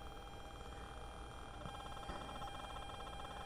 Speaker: so I'm sure you can hear that um that buzzing in the background that's from the ground Loop